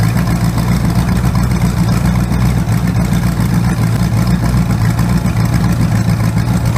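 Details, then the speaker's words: Freshly rebuilt 408 small-block Chevy on engine run stand, open headers, timing 20° initial, first start-up: loud idle with uneven, stumbling beat; number one cylinder misfiring from a bad used spark plug. "Yeah, these number one cylinder's got a bad plug. I didn't buy new plugs. I just used whatever I had in my box. So number one cylinder's not firing right, but not bad."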